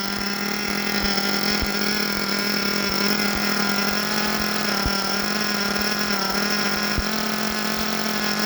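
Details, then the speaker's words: Force Pro 21 nitro engine on Todd Method break-in, pre-heated, idle raised to ensure starting: high steady buzz with a slightly burbly uneven edge and good smoke; running very rich as set for break-in, temperature about 189. "Let's fire her up. She's very rich."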